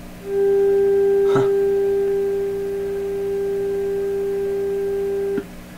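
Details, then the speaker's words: Canadian General Electric JK-66 radio, probe at the output transformer coil after second IF transformer reinstalled: clean steady mid-pitched tone about five seconds, no hum, crackle or dropout; output signal perfect. "this was a perfect signal here now coming on the output"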